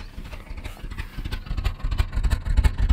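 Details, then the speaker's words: Petrol engine at idle after start-up, before a compression test; lumpy, uneven exhaust beat of about three stumbling pulses a second from a slight misfire. Owner worries it may stall; cause not yet confirmed. "I don't want it to stall. It has a bit of misfire."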